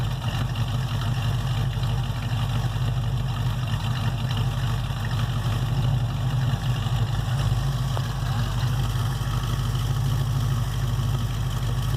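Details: 1968 Chevelle with 307 small-block V8 after power upgrades (over 100 hp boost from parts and tuning), transmission change and front-of-engine/power steering pump issue: deep, steady V8 burble, even low rumble, no knocks or misses; sounds pretty good, normal idle.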